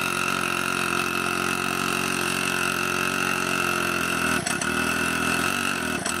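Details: Pocket bike small engine after the muffler was welded back on, steady buzzing idle with a couple of brief dips, no exhaust-leak rasp and a little quieter; leftover oil in the pipe burning off and smoking.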